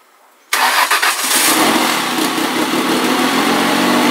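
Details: Ford ST200 V6, first start after engine repair with a new head gasket and timing chains: a short crank, catches quickly and settles into a smooth, even idle with no knocks or rattles. Healthy.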